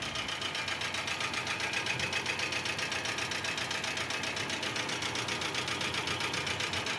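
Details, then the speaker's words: 2005 Chevrolet Corsa with the oil pressure warning light on from skipped preventive maintenance: sharp metallic bottom-end knocking, about four per second, sits steadily over the idle. "aí pessoal ó saca só essa luzinha no painel acesa luz de óo bebê quem não faz manutenção preventiva vai ter que fazer corretiva ó o tanto que esse motor tá"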